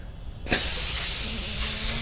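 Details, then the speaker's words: Tire being inflated on a rusted rim from a Subaru Sambar kei van that sat 25+ years: a sudden steady high hiss of air leaking past the bead, with nothing mechanical behind it. "I think we've got a leak around this bead here. Uh, it's all rusted out."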